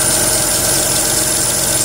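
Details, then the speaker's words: Renault Twingo III with SCe70 engine at idle: a constant high, shrill squeal from a pulley or tensioner on the accessory belt, suspected lack of lubrication; the fix tried is a drop of engine oil. "Una de las poleas está haciendo un ruido muy agudo, seguramente falta de lubricación."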